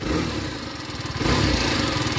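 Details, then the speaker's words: TVS Apache RR 310 with stock exhaust at idle, likely rarely used or serviced: a quick, busy idle with a light, fast ticking over the exhaust beat, later smoothing out. Ticking at idle, possibly noisy valves, unconfirmed. "nih seram amat suara klepnya nih H Harusnya kayak gini aja ya suaranya ya Kok ini ada suara klepnya juga nih kemungkinan ada yang enggak beres ini motornya"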